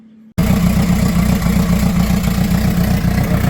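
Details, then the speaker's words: Houseboat inboard engine at idle, checked after an overheating problem: rough idle with loud, uneven chuffing pulses, about three or four a second, running a bit low with exhaust blowing out the side; exhaust leak. "It's running a little bit low. It's blowing out the side. You can hear that exhaust. That makes a lot of noise. That's not good."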